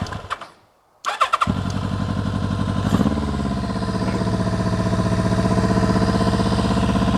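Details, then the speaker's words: 1999 Kawasaki ZRX1100, airbox deleted, restart after sitting twelve years: cranks, catches and idles with a lopsided beat near four per second; missing on one cylinder, number 4 cylinder cold. "Definitely missing on one cylinder. All right, this number 4 cylinder is cold."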